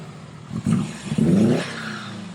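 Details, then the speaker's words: Project car, quick throttle blip rising cleanly then settling to a steady, even idle; sounds healthy, normal rev and idle. "boxie sounds good actually that's really good"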